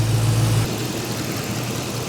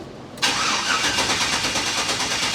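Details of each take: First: LS-swapped squarebody service truck started after work and left running to check the coolant gauge adapter: catches and settles into a steady, even low idle with no knocks, misses or ticks, sounding healthy. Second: LS-swapped squarebody service truck: cranks, sharp pop as it catches, then a lumpy but steady V8 idle; backfire on startup, cause unknown.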